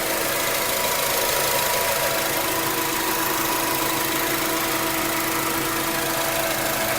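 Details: 2004 Acura TSX automatic with the noise present since 138k miles and still at 206k, with no shifting issues or warning lights: a steady whirring whine over idle at constant pitch from the transmission; torque converter suspected but not confirmed.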